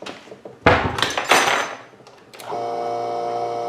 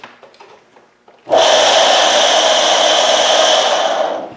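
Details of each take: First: GSW submersible utility pump, part 306666, about 15 years old, run after bearing replacement and reassembly: a couple of handling thunks, then smooth steady motor hum with no roughness, normal pump running. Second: GSW submersible utility pump, about 15 years old, previously humming with seized impeller, now freed: starts with harsh rough hissing grind instead of smooth hum; owner suspects worn-out motor bearing.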